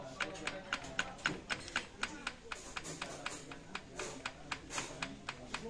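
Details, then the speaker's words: Isuzu Panther 2.3 diesel at idle: rough engine with sharp, rapid ticking about four times a second that sounds like valves but comes from a worn, likely imitation idler timing gear, which was then replaced. "Nah kayak gitu teman-teman. Ini suaranya kasar ini, kondisi stasioner."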